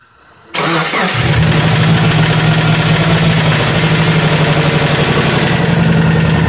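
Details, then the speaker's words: 2004 Subaru Forester XT with 87,000 original miles catches and settles into a fast, steady ticking tap of about four per second over idle. Owner suspects knock, cause unclear. "see if you guys can help me figure what this sound is think it's knock"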